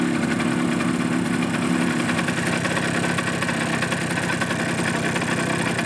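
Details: Suzuki GP100 two-stroke on test rig, fully hot at idle: sharp rapid metallic clatter in time with the engine, piston slap as clearances grew with heat; rebore and new piston planned.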